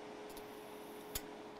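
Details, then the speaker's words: Toshiba external hard drive, not detected, powered via USB, platter spinning: sharp irregular clicks over a steady whir as the read head moves back and forth; a fault in the read head mechanism is suspected. "So as you can see, the reading head is going back and forth, back and forth, back and forth, and that's why we are hearing the clicking sound."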